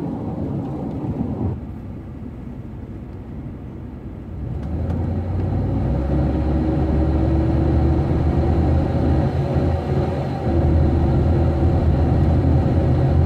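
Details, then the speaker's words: Van accelerating from 0 toward 30 mph: engine drone swells loud and high while speed barely builds, revving with no power, fine above 30 mph; owner suspects fuel or transmission, unconfirmed. "okay so that was at zero trying to get to 30 and accelerating and it h and it's making that uh sound and then there's no power as I'm accelerating"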